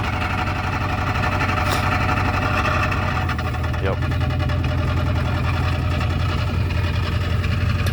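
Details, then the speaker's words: Car after a complete transmission swap (failed front pump/torque converter) and a new exhaust pipe. Steady deep, throaty idle rumble; exhaust bolts to the headers are not fully tightened, suspected exhaust leak near the headers. "yeah definitely a little Rowdy exhaust bols up to the headers at it needs to be tightened down all the way they're not all the way tight"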